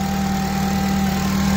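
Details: Honda Civic FN2 with K20 intake manifold, J35 throttle body, homemade air intake and new oil catch can; first start-up after install, no dash lights, no leaks; steady smooth even idle, no knocks, misses or hunting.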